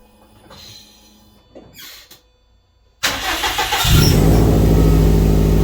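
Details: Subaru after a fault was traced to a fuse-related problem (that fuse pulled): starter catches and the engine settles into an even, steady idle with no knocks or misses.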